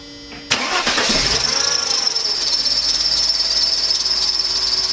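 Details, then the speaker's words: Mercedes-Benz W202 C280 at start-up and idle: loud, steady, high-pitched serpentine belt squeal; belt possibly soaked by spray product, water test made the noise disappear, source not yet confirmed. "And in my case, I got a squeak which drives me nuts, and it's squeaking really bad."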